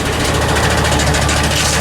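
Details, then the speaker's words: 2007 Chevy Silverado 2500HD, gas 6.0 Vortec V8, automatic, about 323,000 miles, engine light on: loud steady run with a rapid hammering knock underneath; flex plate suspected. "so my guess is that this needs a flywheel flex plate not a flywheel it's a flex plate it's an automatic"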